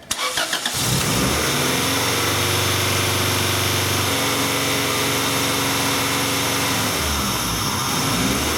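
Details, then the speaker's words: 1994 Acura Integra, 1.8 L DOHC, warm surging idle recorded with the scope on an injector wire: idle rises when the injectors fire and drops when they cut out, repeating; the computer cuts the injectors to curb excess idle from a cold fast idle valve needing adjustment. "So as this vehicle surges, the idle comes up when the injectors start to fire, the idle drops when the injectors shut off, and it continues back and forth."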